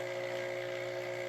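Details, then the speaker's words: Elektra Microcasa Semiautomatica espresso vibration pump during initial boiler fill: even, steady buzzing hum of constant pitch, no sputter or strain, after priming past the dry line. The reservoir level drops as the boiler fills. "Right now the pump sounds normal, and I'm also looking at the water level going down. That's telling me that the boiler is filling."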